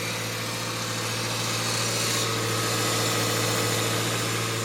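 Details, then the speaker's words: 2018 Subaru Forester at about 110,300 miles, engine idling: steady loud hum with rough whirring from the failing Valeo A/C compressor, quieter now but extremely loud once warmed up and run a while. "Now it's quieter than it has been, but once it gets up to temperature and runs a little while, you can hear that compressor from across a parking lot. It is extremely loud."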